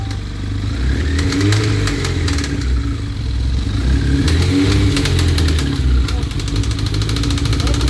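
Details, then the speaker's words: 1992 Suzuki GSX-R 1100 engine at a lumpy idle: bursts of sharp metallic ticking last about a second, fade, then return; intermittent engine noise, cause not identified. "tu as vu, ça s'arrête, ça revient, ça s'arrête, ça Ouais. revient."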